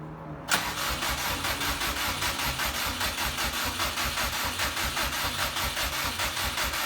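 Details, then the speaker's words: 2006 Subaru with swapped JDM WRX engine and 6-speed, first start attempt after install, fuel primed, weak battery: steady rhythmic starter cranking that never catches; fuel smelled, owner suspects spark issue. "batteries weak I can smell fuel so it could be just a spark issue"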